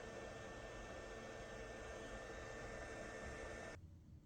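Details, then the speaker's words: Ryobi RYI1000 1800 W power station being charged, noise test of the power brick: soft steady hiss with a faint fixed whine while charging, then it drops away; ordinary charger noise, nothing wrong. "just doing a quick noise test this is just a charging charging the power station I want you to hear the power brick so right now it's off let me go plug it in"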